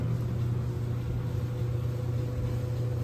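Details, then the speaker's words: GE electric dryer running after its drum glides were replaced to cure a loud squeak. A smooth, steady low hum from the turning drum with no squeak or scrape; normal running. "That sounds great. Looks like another job well done."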